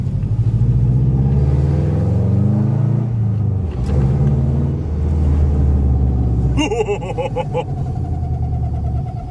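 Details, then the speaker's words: Subaru Impreza EJ after timing belt, water pump and radiator replacement, on its first drive in six years in second gear: a low rumbling thump from the rear swells with speed; braking doesn't change it, so not the disc; driveshaft suspected. "What's that noise? It's coming from the rear, isn't it?"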